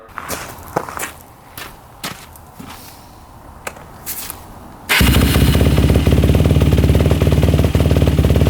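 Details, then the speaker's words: 2005 Yamaha YFZ450 race quad, modded, after carb work (earlier mid-body carburetor gasket problems), warm after about five minutes, yard test revving in first gear: strong, steady, even single-cylinder beat, revs out fully with no smoke or overheating; normal running. "all right temperature like five minutes so no smoke no overheating pipe is good yeah it's really good revs out all the way"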